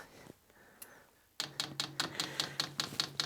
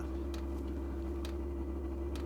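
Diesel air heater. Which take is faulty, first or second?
second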